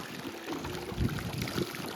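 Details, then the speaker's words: In-ground pool pump at 100% speed under Hayward OmniLogic with slide and jets on; irregular gurgling and spitting bursts, jets sputter then partly recover; owner thinks it is sucking air, suspects low water level, not confirmed. "And yeah, I think it's sucking air. I'll have to check the water level, but you get the idea."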